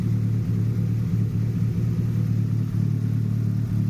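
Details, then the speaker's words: Idle of a 1989–90 JDM Nissan Pulsar GTI-R after fixing a vacuum leak; low, steady rumble with slight unevenness, occasional small smoke rings from the exhaust (possible slight misfire); engine settled and idling normally. "but at this point she seems not too bad certainly that was the issue we have found the"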